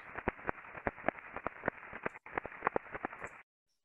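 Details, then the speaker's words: Conveyor bearing on a combining roll, recorded by ultrasound (SDT340) after an RMS alarm and crest factor rising to 25.42: uneven clip-clop impacts over a hiss. Teardown showed a loose cage and damaged rolling elements. "yeah it sounded like a horse walking to me [Applause] yeah it's like a clippity clop but uh repetitive impacting going on"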